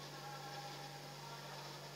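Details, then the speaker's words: Refrigerator compressor after the capillary was cleared with methyl and refilled with freon: a low steady hum with a soft hiss and no knocks or rattles, evaporator cooling along its length; the capillary is flowing freely and not blocked. "ini seperti ini bunyi ini harus bunyi nih Ini Yang Namanya tidak mampet ini ini saya menjamin ini tidak mampet"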